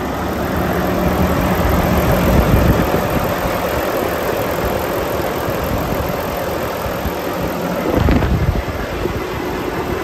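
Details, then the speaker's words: 2018 Volvo VNL630 with D13 engine and iShift, fully warm at 170° coolant, oil filler cap off, held at fast idle: steady, even diesel clatter with no misses, knocks or blow-by; engine in healthy running condition. "I'm going to take off the oil filler cap show you the engine running and show you that there's no blow by on this engine it's in perfect running condition so let's get that idle turned up and we'll have a listen"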